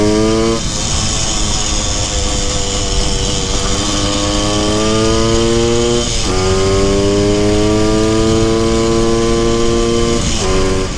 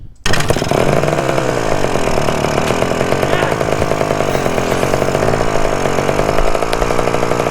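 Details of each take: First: 1974 Honda MT250 Elsinore two-stroke on a test ride after correcting a points plate installed 180 degrees backwards: crisp note rising cleanly through the gears with even firing and no misses; runs healthy and strong. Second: 1974 Honda MT250 Elsinore two-stroke at first startup after fitting the correct ignition coil: screams flat out at steady high revs that never drop. The throttle was stuck, and it kept running even with the spark plug boot pulled off.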